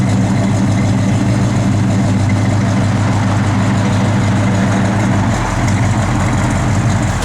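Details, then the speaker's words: 1972 Chevrolet Chevelle SS, 454 ci big-block V8, 4-barrel, factory manifolds, Flowmaster dual exhaust, 1000 miles since frame-off restoration; deep, steady lumpy rumble at even idle with no ticks or knocks: normal idle. "Big block sounds good."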